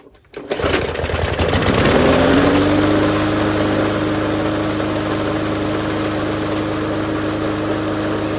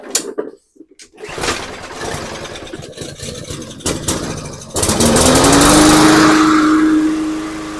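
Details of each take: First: MTD push mower with a small engine catches, revs up and settles to a steady drone with heavy rattling, shaking and vibration. Cause suspected: bent or off-balance blade, not confirmed. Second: MTD push mower, after tightening the part on the output shaft that caused shaking, rattling and vibration: fires, revs up and holds a smooth, steady drone with no shake or rattle; runs like new.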